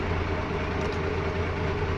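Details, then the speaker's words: 1996 Dodge 2500 12-valve Cummins diesel with 181,000 original miles, after starter rebuild, starter relay swap and cleaned battery terminals, which fixed a click-no-start; deep, even idle with no misses or knocks, running healthy. "sounds good all right and that is how you do that"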